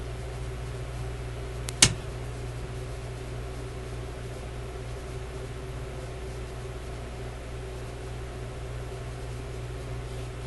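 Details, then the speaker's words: Grundig 2540 AM/FM/SW tube radio switched on: one sharp switch click, then steady low mains hum and soft hiss while warming, no arcing clicks. "No clicking. Yeah, I can hear it coming on."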